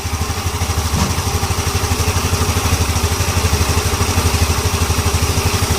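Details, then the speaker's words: Yamaha Ego LC scooter after replacing a loose CVT part: steady even idle with smooth low beat, no rattle or clatter from belt drive; loud CVT noise heard before repair is gone. "oke Jeng ah orang nampaklah sendiri dia punya bunyi sudah hilang tadi sebelum kita ganti benda ini memang cukup kuat"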